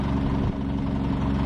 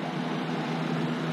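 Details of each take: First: PTAC unit on heat, 76 setting, before repair: a loud, uneven rattle rides over a steady low hum, throbbing roughly three times a second; cracked, out-of-balance fan blade, possibly chipped, to be replaced. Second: PTAC unit after replacing a fan that had a small crack, restarted with relay click and reversing valve switching: steady even hum, smooth airflow, no rattle or wobble; normal running.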